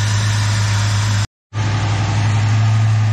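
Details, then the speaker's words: Jeep 4.0-litre six, replacement engine after knocking (cracked piston suspected), first startup; after slow oil pressure build and a small miss as lifters settle, smooth even low idle with a deep hum, no knocks: normal idle. "it'll take a while no oil pressure there it goes little miss little lifters settling that sounds better"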